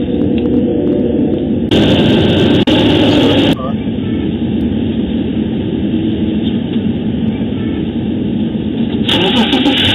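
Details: M52TU BMW E39 cold start at about 33°F, after 0W-40 oil and engine flush as a fix for a VANOS fault that stalled it twice at cold idle: engine catches and settles into a steady, even idle with no stumble or stall.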